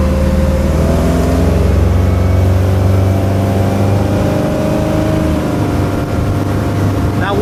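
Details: 2006 Bayliner 175, 3.0 sterndrive, at a constant 3,000 rpm cruise: a steady, even drone with no knocks, misses or squeals. Engine noise is quite normal; the engine sounds healthy.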